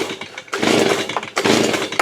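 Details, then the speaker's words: Stihl BG85C leaf blower after carburetor replacement, choked, primed: several rasping pull-cord strokes with no firing; stop switch left off, so no start. "oh yep it's off I gotta turn it off oops how stupid huh I had to kill on it"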